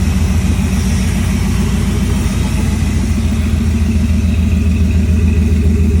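Steady low throbbing drone with an uneven pulse about three or four times a second over the engine; an abnormal noise, cause unclear.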